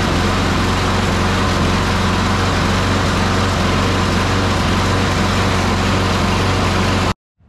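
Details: Craftsman 650 series (Briggs & Stratton) push mower single-cylinder engine, after oil change, new air filter and blade, carburetor primed, runs loud and steady at constant speed then cuts off cleanly; sounds healthy.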